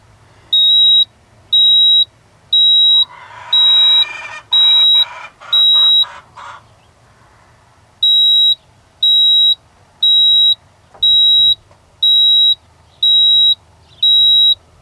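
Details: 1987 Ford F-150 inline-six that ran rough after warm-up on a cold morning, code reader beeping stored codes: steady high beeps about one per second, pauses between groups, handling noise; flashing trouble codes.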